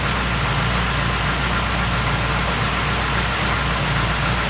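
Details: Car with a January 7.2 ECU, no stored errors, warm at 82°C, idling: a light metallic clatter sits over a steady engine note, sounding like a loose timing chain slapping a broken guide. The chain sometimes rattles; valve adjustment is planned.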